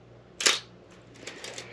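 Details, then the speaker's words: Old film camera being inspected before purchase, shutter set to 1/250 s; one crisp sharp snap followed by faint winding ticks, clean healthy shutter firing at a fast speed. "okay and let's go down from 500 down to 250th you should start to actually hear the difference in the shutter speeds as we move slower"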